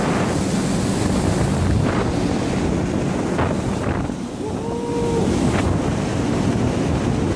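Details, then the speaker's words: Marley cooling tower, the good one of two (the other noisy, gearbox suspected), heard inside the tower: constant rush of falling water over a steady fan hum, no knocking or grinding; normal running. "So this tower, this one is good. It's a Marley."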